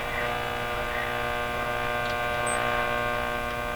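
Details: RCA Victor 911KG console radio, getting it working with minimal restoration: a steady low buzzing hum with a rough edge from the speaker. Heavy mains hum, source not yet found; grounding may help.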